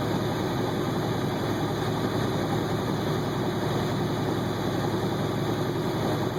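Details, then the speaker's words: 2009 International ProStar diesel truck hauling a loaded trailer: steady, even drone under load with a smooth rushing turbo note and no knocks or rattles; normal turbo spool. "I'll let you hear the turbo here."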